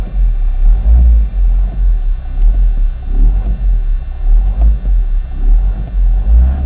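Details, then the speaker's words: 2004 Toyota Corolla 2.0 D4-D diesel, nearly warm, ventilation off: a deep heavy rumble throbs about once a second at low revs and is gone above roughly 1500 rpm. Abnormal engine vibration, cause unknown. "le problème qui m'embête le plus c'est ces vibrations écoutez bien le moteur je coupe la ventilation"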